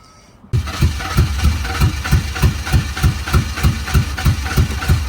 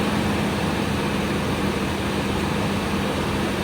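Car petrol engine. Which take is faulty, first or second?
first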